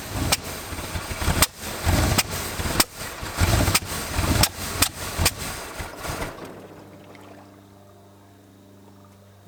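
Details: 1986 Dodge Diplomat police car parked 25 years, recently revived, timing being advanced: uneven lumpy running with irregular surges and loud pops, then dies; rough running, misfires, won't hold steady idle.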